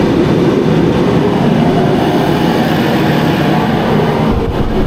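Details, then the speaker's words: Mr. Heater Contractor Series propane forced-air heater, new, maxed out at 60,000 BTU: loud steady roaring rush of air and burner, no knocks or rattles; normal full-output running. "That's maxed out, 60,000 BTU."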